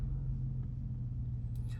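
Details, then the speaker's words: Audi S5 after a cold start, coming down off fast idle: even, steady low rumble with no misses, knocks or ticks, no warning lights; normal idle. "Quickly into a smooth idle. No warning lights on. Running exactly as it should do."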